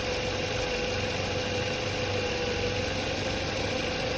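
A steady mid-pitched whine rides constantly over an even idle, pointing to a noisy, likely failing alternator.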